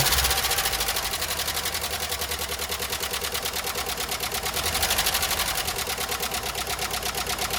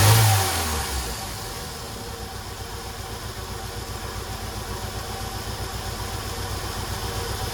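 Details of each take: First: 1993 Jeep Wrangler YJ first start after sitting parked for years, on old oil: rough idle with fast, light top-end ticking about three per second; owner suspects the dry top end needs oil; valvetrain ticking from oil starvation. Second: 1993 Jeep Wrangler YJ revived after years parked: fires with brief rev, then settles to low steady idle; the bad ticking from first start is gone and it runs well.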